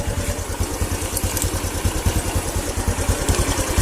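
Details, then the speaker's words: Honda Revo motorcycle with a weak charging circuit that was sputtering; now starts and runs, steady even single-cylinder putter with regular beat and no stumbling; normal idle. "ini dalam kondisi seperti ini motornya itu bisa menyala ini kondisi motor normal"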